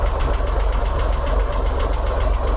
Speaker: and the car is cold right now so the chokes are on and you can see i'm running 900 rpm 870 880 870 860. so that's my high idle right now it might be a little low but it seems like it's doing okay